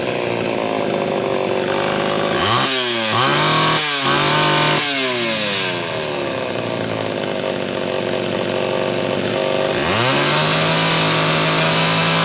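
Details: Homelite Super XL chainsaw test run after repair: a loose cylinder nut (cylinder gasket issue) and bad points, now filed and gapped. Crisp two-stroke revs climb cleanly and hold steady while cutting wood, no bogging. Saw is healthy but being retuned, initially slightly lean.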